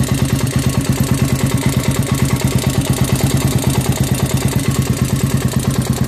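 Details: Honda 400EX after an engine rebuild. The single cylinder idles with a steady clattering knock, about three a second in time with firing, pointing to a bottom end noise.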